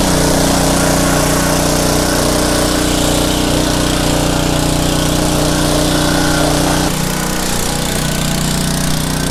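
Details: Pressure washer small engine, in a Craftsman 5.5hp Briggs & Stratton Intek 190 revival: loud, steady drone with even firing and no knocks or misses. Running healthy.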